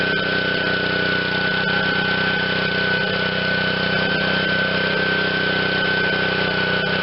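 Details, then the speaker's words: Honda GCV160 on Black Max pressure washer after sitting, on choke, single throttle setting: chugs unevenly at a rough, unsteady beat; runs only when primed and won't keep running alone, owner suspects bad gas, plans carb cleaning. "yeah just just uh will not run on its own if i prime it it'll start and run but uh my guess is bad gas clean the carb"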